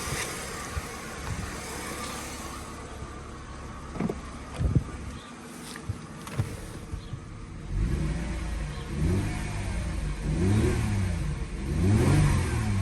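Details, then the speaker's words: Mercedes W204 just after accessory belt tensioner replacement, first start: engine blips and settles with no chirp or squeal, belt drive quiet so far; belt now seemingly sits deeper, not at pulley edge. "всё ремень на месте даже боюсь заводить ладно заводим пока тихо сейчас"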